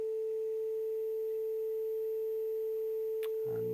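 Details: Bush TV22 valve TV warming up, EHT rectifier lit: steady pure high-pitched line-output whistle, line stage oscillating normally; frame roll seen at this point.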